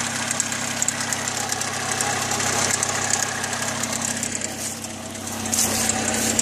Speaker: so you can hear how crappy that sounds now that was just to give you the idea of how this thing sounds and to me that sounds like the sucker's ticking quite a bit